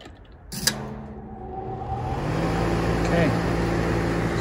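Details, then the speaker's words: New Lennox AC condenser at startup after adding isolation pads and a hard start kit with sequencer relay: relay click, then the condenser fan hums up to speed alone before the compressor starts. Normal condenser fan start-up. "you can see the condenser fan came on and we should get the compressor coming on in a little bit"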